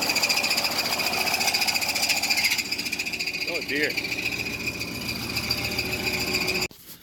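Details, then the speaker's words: GM engine revived after seizing from oil loss at the oil cooler quick-connect, started for a few seconds at a time to warm it: a harsh, high screech follows firing, then fades as it shuts down. The owner suspects a stuck piston ring, which is unconfirmed. "Alright, what I'm doing is I'm starting it, I'm letting it run for a couple seconds, and I'm turning it off because that horrible screeching noise, I think, is one of the rings stuck in one of the pistons."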